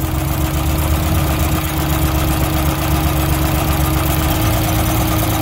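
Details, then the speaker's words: Drift car misfiring on cylinder two after a track lap, persisting after swapping injectors and coils one and two: lumpy, uneven idle with stumbles; suspected burnt intake valve on cylinder two, unconfirmed. "but it's very unhappy when you put fuel to cylinder two so jake thinks there's something wrong with the intake valve"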